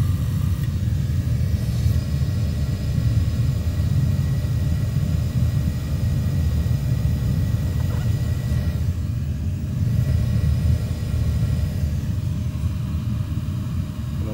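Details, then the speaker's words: Commercial oil boiler burner, lit and running on low fire; the flame can't be seen through the dirty sight glass. Steady, even low rumble with no surging, pulsing or popping: normal burner operation on low fire. "believe that's now L on low flough I can't see any flame in the sight glass cuz it's so dirty in there but that's on and lit"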